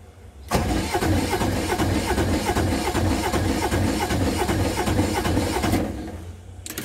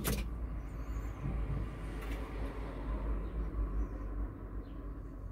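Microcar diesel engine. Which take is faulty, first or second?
first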